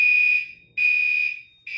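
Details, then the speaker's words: Garage fire alarm system with SK-5820XL panel, activated from a pull station during a test: loud piercing high-pitched horn in long bursts with short gaps, about one a second; alarm sounding normally. "We're going to activate the system and it will cut off the audio after a few seconds. Let's do it."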